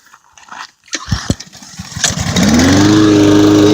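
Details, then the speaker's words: New Husqvarna all-wheel-drive pull-start push mower, belt-driven wheels: a few pull-start clunks, then the engine catches and settles into a steady, even hum with no miss; normal running. "Yeah, so yeah, so I'm going to start it up so you can see on how good it works, and how good the all-wheel drive works."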